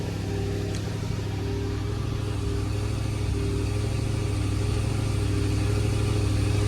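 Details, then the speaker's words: Mercedes E55 AMG V8 cold idle below operating temperature after tightening loose header bolts: steady low idle with no puffing or ticking at the headers; exhaust leak gone, though cylinder 4 misfire remains. "this one now that I started it cold no no leak sound you know that usual coming out of here all that stinky stuff"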